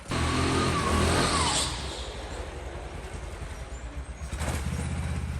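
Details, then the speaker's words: Honda GX 270cc single-cylinder kart engine after restoration/repair: brief rev drops back to a steady, even putter with no knocks or misses; runs healthy. "Ah, puis là, je vous mets une petite vidéo aussi du Belly réparé. Enfin, réparé avec un moteur qui fonctionne, quoi."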